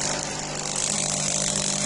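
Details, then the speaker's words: Delonghi EC270 espresso machine, first heat after disassembly, vibration pump with non-original spring cut with pliers replacing a broken one: loud harsh steady buzz over a constant hum, louder than before; spring too stiff, pump delivers no water. "Voilà, le truc, elle faisait plus de bruit, en fait, c'est ça qui fait le bruit."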